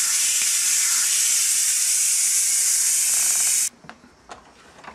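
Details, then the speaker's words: Cuisinart digital electric pressure cooker after cooking turkey drumsticks, manual quick pressure release: loud steady high hiss of venting steam for about four seconds, then cleanly cut off; normal release. "I'm going to release it manually all right that's going to take another minute I want you hear that hissing for a minute we'll cut it and we'll look at it when I open"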